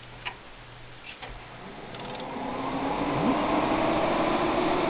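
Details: Gateway ALR-9200 server with four Pentium III Xeon 550 CPUs and triple-redundant power via a 3-way tap, at power-on: a few relay clicks, then fans whoosh up smoothly into a steady rush; normal spin-up.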